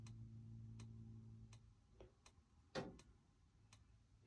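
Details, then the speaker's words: Gas fridge on a 2021 Jayco Journey 22.68 caravan, just switched to gas while the line bleeds: sharp single ticks a bit under a second apart. The igniter sparks normally until the burner lights and the ticking stops. "And that's it trying to start. And it'll keep ticking like that until it gets an ignition. Just trying to drive a little bit of gas out of the line. When you hear the ticking stop, it's likely that it's lit."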